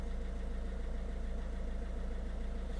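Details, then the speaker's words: Citroen C3 1.6 HDi diesel idling with AC on, after fixing fan fault P0483 (owner thinks only the low fan speed wasn't working); cooling fan now activates and stays on steadily, fault doesn't return, normal radiator fan operation. "peut-être qu'il y avait que la petite vitesse qui marchait pas donc là on entend bien s'activer il se désactive pas"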